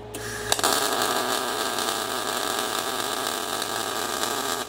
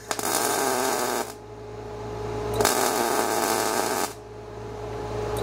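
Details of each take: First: Everlast Cyclone 212 MIG welder on carbon steel with inductance turned down from 20 to about 1%: steady, harsh, crisp crackling sizzle for about four seconds. Harsh MIG arc at minimum inductance. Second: Everlast Cyclone 212 MIG welder in stitch mode, about 1.5-second welds with 1-second pauses from one trigger pull ("poor man's pulse"): arc crackle in even, regular bursts. Normal MIG spot-stitch pulsing.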